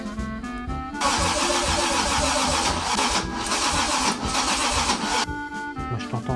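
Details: Toyota 2JZ engine on its first start attempts after being wired into a car: starter spins at a steady cranking beat for several seconds but never catches; crank no start.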